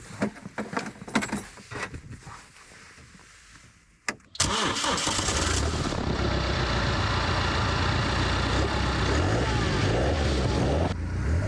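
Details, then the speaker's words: BMW X1 diesel running with the exhaust removed during a guibo (flex disc) replacement. It fires up and settles into a loud, raw, rapid rattling drone with no muffling. "Doesn't sound too bad, honestly. Who knows? I might get a diesel four-cylinder."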